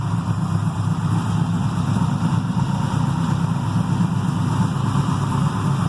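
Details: Carbureted 6.0 LS V8 with mechanical fuel pump and distributor, freshly built, heavier pistons, solidly mounted in a race car frame: deep steady even idle rumble, no misses, knocks, ticks or vibration; normal idle.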